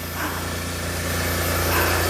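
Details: Smart ForTwo just revived after a seized alternator and a failed starter: an even, steady low hum with no knocks or misses, easing up slightly near the end. The engine is running and charging normally.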